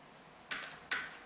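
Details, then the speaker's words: Bike held in the air, headset being adjusted after fork reinstall: two sharp metallic clacks from the front end, the rattle of a loose headset; tightening until the rattle goes away fixes it. "i really prefer to do it in the air because i can test by sound to see if the headset is loose or tight so just to give an example you can hear that rattle"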